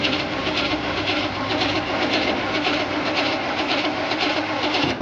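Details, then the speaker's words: 1968 Chevy Impala after sitting 31 years, cranked with a spark checker on a plug lead: steady cranking at a few beats per second, never fires; no spark, ignition coil and badly deteriorated wiring to be checked. "Nothing, no spark. We got to go upline and track down what's going on here."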